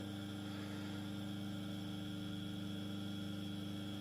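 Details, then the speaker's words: First small 230 V single-phase induction motor, powered from a homemade variac: steady even hum with no knocks or grinding; slightly more casing vibration felt but loudness about the same, running normally. "I'm sensing a bit more vibrations but the audibility of the drive the motor is pretty much the same"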